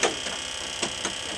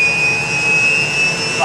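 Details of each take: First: UH-1 Huey helicopter turbine first start after rebuild; sharp light ticks about every quarter second over steady hiss from the rear during start sequence, engine reluctant to go: unexplained clicking during start. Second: UH-1 Huey helicopter turbine start after rebuild: steady high turbine whine with a rising tone layered in, clean light-off and spool-up with no surging or rub.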